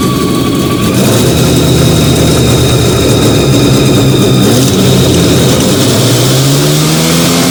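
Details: Fiat 125 (Bialbero) on CNG after fitting a new carburettor gas injector and the original air filter, just started. Steady, even running with a clean tone and a light rev near the end, no misfire or stumble. Normal idle.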